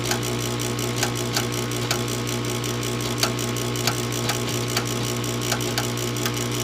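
Steady low hum with sharp clicks repeating about twice a second, unit never lights; furnace failing to start.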